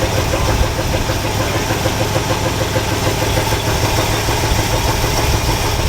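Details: All-original 1962 Chevrolet C20 3/4-ton pickup, automatic, sat over 60 years, running on choke after replacing fuel pump (suspected failed diaphragm): steady, slightly lumpy idle with even beat, no misses.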